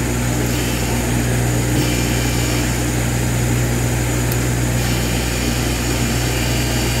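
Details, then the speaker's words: A 220 V AC electric fan converted to 12 V DC and run from solar power: a steady, even motor hum with a smooth beat of blades and no knocks or scraping; it spins the correct direction and runs normally. "Kaya pakinggan nyo, umuugong na. Ayan. Tama yung kanyang ikot."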